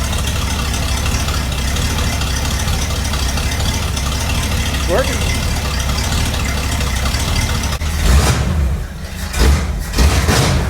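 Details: 1961 Cadillac DeVille with engine reinstalled from the hearse and new fuel plumbing, exhaust mostly off: low, steady V8 burble holding even through the clip, handling noise near the end; smooth idle, loud from the open exhaust.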